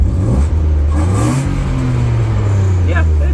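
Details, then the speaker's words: BMW E36 six-cylinder after a tune-up for no power and heavy misfire, spark plugs gapped 0.025 and new air filter: pulls cleanly through a short rev and settles smooth and even; no misfire, good idle, no check engine light. "sounds better I think it sounds better does not misfire runs good Idol's good uh absolutely no check engine nothing like that"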